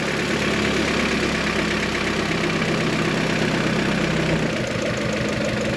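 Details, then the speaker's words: G23BK engine with an H22 transmission, idling with the fan off: a light, quick ticking rides over the engine as the note changes. The tick disappears when the number 1 ignition wire is pulled; piston slap is suspected, unconfirmed. "the fan is off and you can still hear that ticking sound"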